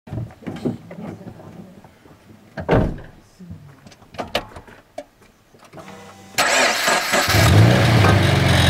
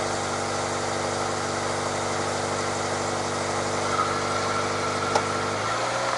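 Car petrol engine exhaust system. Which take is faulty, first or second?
first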